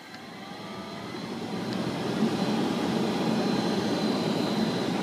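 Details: 2011 Honda Pilot blower motor at 9° outside after a -4° morning, going from lowest speed upward: the airflow rush builds with a thin high whine and rough rumble. Worn blower motor bearing; the motor was replaced.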